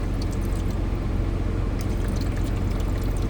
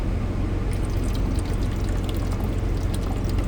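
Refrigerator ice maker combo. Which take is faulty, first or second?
second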